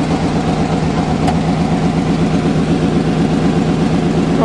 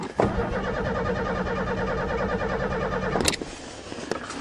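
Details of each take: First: Old Chevy truck, cold start on a snowy February day; usually knocks but oil thick from cold: steady low rumble, even pulses about 160 a minute, no tapping or knocking; normal cold idle. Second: Vehicle on its first cold start after winter, on a fourth battery, gives a steady starter whirr for about three seconds and never fires; no fuel pump is heard, though the pump worked in November. The cause is suspected, not confirmed.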